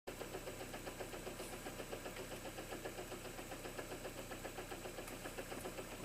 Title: Странный стук двигателя на холодную 1